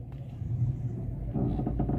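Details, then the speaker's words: Car standing still with windows closed: low rumble with short creaking, grinding bursts from the suspension, worse as the steering wheel is turned, a creak when steering at standstill. "quando você mexe o volante faz mais ainda tipo um rangido"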